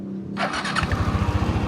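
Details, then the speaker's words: Yamaha NMAX v1 scooter after replacing the magneto: starter whirs, engine catches and settles into an even steady putter with no ticking or knocking; now quiet, healthy idle. "Yan, bago na yung bagong second na yung magneto. Tahimik na no."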